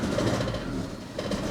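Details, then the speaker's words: 1984 Opel Ascona 1.6S, 90 hp, long neglected: lumpy stumbling idle with dropped pulses, running on two or three of four cylinders; ignition misfire, distributor cap and rotor to be replaced first. "on two maybe three but not all four that's for sure"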